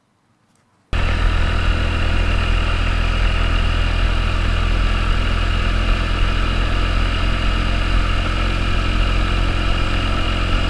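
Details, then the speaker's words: 2009 Honda Metropolitan scooter after fuel system and carburetor repairs, plunger sanded and lubricated with silicone spray: steady even low hum at constant speed, no misses, pops or rattles; normal running before road test. "Now you sound pretty good."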